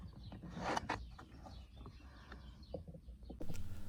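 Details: BMW E60/E90/E70 electric steering column adjusted up and down by joystick: short, high chirping squeaks over a low motor hum, present for over a year. They come from the column's bearings and screws behind the cover, and spraying them with WD-40 fixes it.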